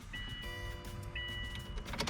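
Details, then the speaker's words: 2004 Subaru Forester, key on with engine off after installing a rebuilt fuel pump assembly (new pump and sending unit) and about a gallon of fresh gas: a steady electric hum and whine for a couple of seconds, normal fuel pump priming. "stick the key in. I hear the fuel pump. We're gonna cycle the fuel pump a couple of times."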